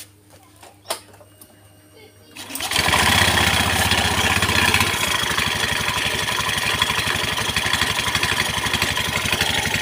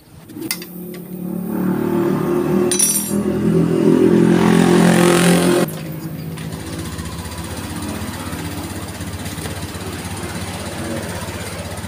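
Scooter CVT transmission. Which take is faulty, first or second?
first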